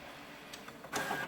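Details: HP Deskjet F4480 printer that jams paper, makes internal noise and won't move the carriage. Short whirring feed pull with scraping and a paper error; the encoder strip or actuator is suspected.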